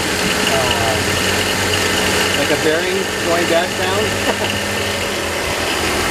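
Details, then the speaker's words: 2006 BMW X3 3.0L at idle: steady rough rotating whir that turns with the main drive belt, dry growl of a worn drive belt tensioner pulley bearing; fix is replacing tensioner and the idler pulley below the alternator. "i know from experience that the tensioner for the main drive belt the pulley's going bad on it and i'll start it up so you can hear the sound [Applause] so you hear that rotating sound that"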